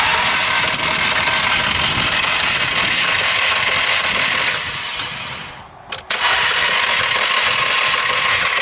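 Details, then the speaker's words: 2005 SEAT Ibiza petrol that will not start, suspected timing chain failure: starter spins the engine unusually fast and evenly with no compression pulses, plus light metallic clicking and grinding, no firing; no compression suspected, not confirmed before strip-down. "now you can hear that kind of clicking noise and it's spinning over really really fast too fast there's no compression"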